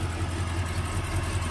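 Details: 1977 Chevrolet Malibu Classic, factory 350, plugs and wires due for replacement, carburetor needing rebuild, probably old gas: low idle with uneven chuffing pulse about five times a second, lumpy and blowy; cause not confirmed.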